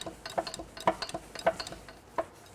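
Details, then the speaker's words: 1983 Mercedes OM617 5-cylinder turbo diesel after catastrophic failure, cylinder head removed: crank rocked rapidly by wrench with number 3 piston, giving sharp metallic clunks from a blown connecting rod bearing (rod knock). "Okay, now I'm going to move it real rapidly so we can hear the clunking. There's our rod dock."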